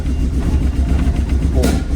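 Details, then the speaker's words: Mazda Miata bought used; runs rough with an uneven, lumpy, stumbling idle; the cause was spark plug wires in the wrong order. "oh it's running rough you guys hear that okay yeah that okay that's not good"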